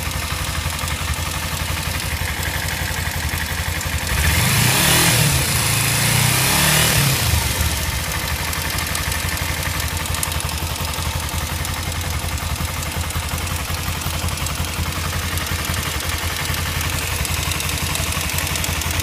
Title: Kawasaki ninja ticking noise